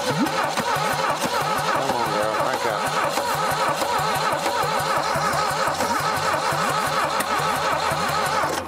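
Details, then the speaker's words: 1968 SAAB 96 V4, abandoned 40 years, initially locked up, oil added to cylinders: uneven labored cranking for nearly nine seconds, never catching; compression still low (about 60 on one cylinder, 100 on another). "it just don't have enough compression we had that oil in the top of it but after that it kind of stopped"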